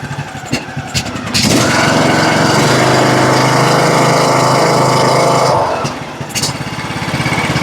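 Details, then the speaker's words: John Deere LA105 riding mower that ran only on choke, after its Nikki carburetor was replaced with a Walbro: it runs steadily, then drops to a slow, lumpy idle of about three beats a second because the idle is set too low, later turned up. "You might be idle a little bit low. All right, let's fire it up again. idle down a little bit too low."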